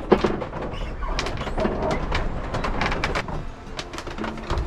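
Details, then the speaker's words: Slow, drawn-out creaks and groans in uneven bursts over sea and wind noise on a sailing yacht in rough water, from the steering, which still steers fine; to be inspected later. "I think we've got a bit of a steering problem and we can hear this really bad creaking see if you can hear it, one sec."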